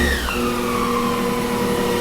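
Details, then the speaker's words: Sherline-based D&M4 CNC mill with new KBIC-120 spindle drive, stepped from 2,000 to S1000, tachometer reading 993 to 994 rpm: whine drops, then settles to a clean steady tone with no grinding; normal spindle running. "I'm hitting it with tachometer. 993 RPM. That's dang close."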